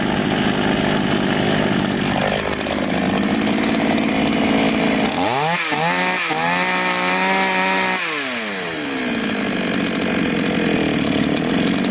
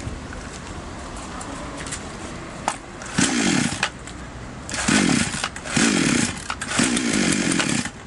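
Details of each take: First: Chinese counterfeit Stihl MS660 chainsaw that started but stalled on throttle, after carburettor adjustment (screw nearest the spark plug opened about half a turn and then a bit more): idles steadily, revs cleanly to full speed and drops back smoothly; normal running. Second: Chinese copy of a Stihl MS660 chainsaw idling weakly, each throttle blip surging briefly then bogging and dying; suspected incorrect carburetor adjustment, fix is turning both mixture screws in fully then out two turns.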